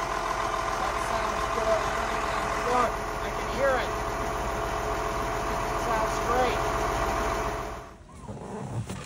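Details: Carver 466 boat, starboard Cummins 6CTA 480ce 8.3 L diesel, in the engine room after an injector replacement; even, settled idle with a steady low hum and no misses or knocks; running smoothly.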